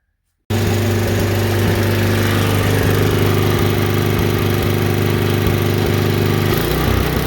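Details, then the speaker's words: Tecumseh HSSK50 5 HP on a Mastercraft 24-inch MTD snowblower, ignition fixed and ethanol-corroded carburetor replaced: at full RPM it keeps hunting with an uneven pulsing surge. An emulsion tube problem is suspected and another carburetor is planned. "this one here will not stop hunting. And what hunting is if you watch, I had the cover off, it just sits there and does this run, run, run, run, run, run, run, run, at full RPM. It's trying to find itself, and I think that's an emulsion tube problem."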